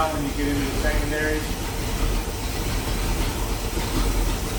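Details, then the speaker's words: 1973 Pontiac Ventura, rebuilt 350 Pontiac V8, replacement carburetor after mixture richened: deep, steady low rumble with no pops or misses; popping gone, smooth idle. "I definitely fattened it up I can smell it now see how it's not popping now"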